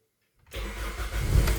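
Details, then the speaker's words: 2007 Toyota Altis with a B2796 immobilizer no-communication code, after replacing the ECU with a surplus unit: starts on the first click and builds into a strong, even run. "Yun one click start."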